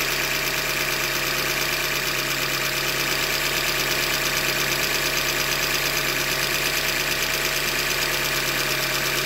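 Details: 2015 Hyundai Elantra Limited at 90K, idling: hard, regular knock about three times a second over the engine; bottom-end short block failure, a manufacturing defect, short block later replaced.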